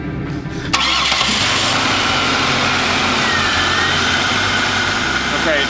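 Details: 2002 Buick Regal, after a new replacement part was fitted on the leaking fuel line and clipped in place. Key on to build fuel pressure, then the engine starts within a second to a steady, even idle with no misses or knocks. No leakage; normal start.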